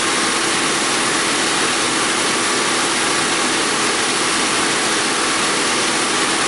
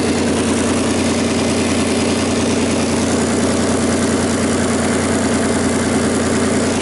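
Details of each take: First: 2001 Audi A4 Quattro 2.8 L V6 after repairing a blown flex pipe leak upstream of the O2 sensor and adding a spacer on bank 1 sensor 2, revved then idling: smooth even hiss, no ticking or puffing; exhaust sealed, no leak. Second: 2001 Audi A4 Quattro 2.8 L V6, loud cold idle with raspy, sharp puffing in time with firing pulses, before repair; exhaust leak from a blown flex pipe upstream of the oxygen sensor, setting fuel trim codes.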